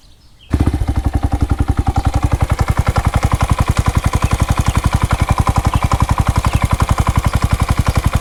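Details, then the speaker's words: Honda Grom single-cylinder running after a valve adjustment found valves fine at top dead center: sharp, even knocks about four a second over the exhaust beat. Knocking noise of unconfirmed source; owner suspects sloppy cam chain, or possibly low end bearing. "yeah a knocking noise"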